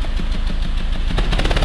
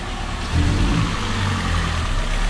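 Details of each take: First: Peugeot 206 three-cylinder revved: rough running broken by sharp irregular bangs, explosions in the catalytic converter up front. Fuel is arriving but not burning in one cylinder; spark plug or coil blamed, not the injectors. Misfire causing exhaust popping. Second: Peugeot 206 three-cylinder at idle after repair: smooth, even low rumble with no stumbles, dips or exhaust pops. Vibration and catalytic converter explosions gone; normal idle.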